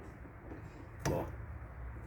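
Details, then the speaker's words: Nissan Sentra, front right lower ball joint levered: single sharp clunk from large play over low workshop hum; worn sway bar links also loose, causing strong front suspension noise. "eu posso um pivô aí ele faz esse o barulho bem forte e o e as bieletas também folgadas aí também fica pior ainda"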